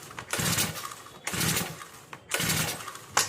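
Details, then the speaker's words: New brush cutter, choke tried on and off: three pull-cord rips, each a rasping whirr with no firing or catch; cranks but won't start. "यह brush cutter machine में starting का moment बिल्कुल भी नहीं है start नहीं हो रहा है"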